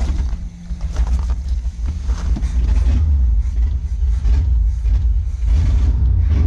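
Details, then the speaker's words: 1971 Chevy K10 4x4 pickup, small-block 350 V8, just restarted after sitting 10 years, choke on, smoking, fuel leaking: lumpy low idle with exhaust rasp, no top-end clatter; valvetrain quiet and healthy. "There's no clapping from the valve train, which is good."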